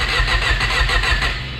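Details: Honda Prelude being started: the starter cranks steadily at about six beats a second with no firing at all. The distributor gear was installed wrong and later flipped around. Crank, no start.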